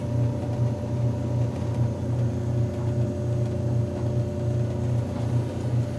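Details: Electrolux EIMED60LT3 front-load dryer after repair of scraping noise (rollers, tensioner pulley, blower wheel serviced); steady low hum with even tumbling, no scraping, heating; normal running.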